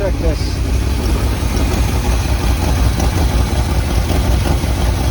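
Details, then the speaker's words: 1978 Chevy K20 4WD Camper Special V8, sat outside 13 years, restarted after cooling down, more transmission fluid added: low, fairly even idle with slight lope, no misses; smoking stopped, engine running much better. "this engine is coming around it's not perfect but it is coming around i mean it's running so much better i can turn the idle down"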